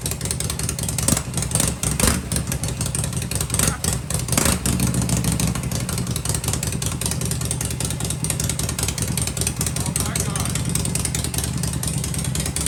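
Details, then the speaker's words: Harley-Davidson Shovelhead V-twin at fast idle with pipes covered to hear the motor: deep, even beat holding steady, very quiet with no ticking or rattling; healthy and smooth, normal running. "Holy crow! She's just as quiet as can be, right? Ain't that something? Wow! Sounds good."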